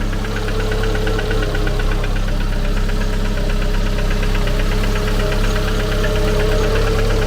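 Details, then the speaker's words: Car engine at idle: sharp light tick near four per second over the low hum, occurring once per camshaft turn, not crankshaft; source unknown, owner wonders about the pump; ticking noise at idle. "Ouais, mais on l'entend bien effectivement ce fameux claque. Don on sait pas d'où ça sort."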